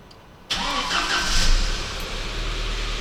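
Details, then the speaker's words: 1998 Volkswagen Passat B5, 480,000 km, winter, after starter overhaul (worn brushes, broken bushings, worn rotor, dirty grease cleaned): brisk, even cranking, no grinding or dragging; starter spins much livelier than before. "Стартер крутить набагато живше набагато живших Стартер крутить ви чули цей звук"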